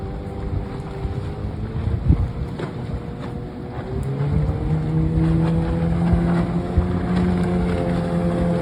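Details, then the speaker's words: Restored 1996 Johnson 15 HP outboard, model J15RED0, on a lake test after a stuck thermostat and its gasket were replaced; it was thought to have caused overheating, heat-sensor shutdown and bogging. Steady drone climbs smoothly as the boat pulls away, with no bogging. Normal running. "Just starts up idles real good. Like I said, I changed the handle, the stop switch, redid the cover, decals, everything on it. She runs great."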